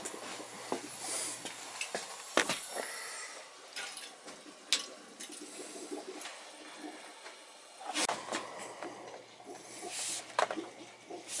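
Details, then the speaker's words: Oil-fired heating system with no-heat call, bad power venter motor, bad expansion tank, pressure 30 instead of 15 psi: uneven hissing and spitting bursts as trapped air purges out of the zone. "Can hear the air. It's all air coming out."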